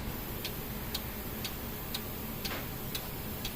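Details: 2015 Kia Sorento 2.4 with code P0011 (camshaft timing over-advanced, bank 1), being checked on whether the oil control valve now works: crisp, even clicks about twice a second over a quiet engine bay, suggesting the valve is cycling properly.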